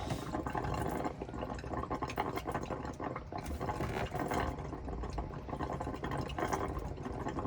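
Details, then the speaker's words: Elddis Autoquest 130 motorhome boiler being filled through the hot side of the tap: uneven gurgling and splashing as air and water spit out. This is normal air purging, and it stops once the boiler is full. "essentially what's happening at the moment is it's filling up the boiler um so as soon as the boiler gets full the water will start coming through this tap so it shouldn't be long you'll start to hear that the gurgling noise will stop"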